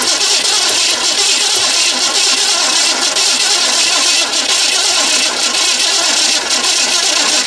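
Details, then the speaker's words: 1970 Chevrolet Impala, fuel from small tank above fuel pump. Starter churns steadily about seven seconds, never catches; possibly no spark. "there so we got a few maybe we haven't got Spark I'll try it again"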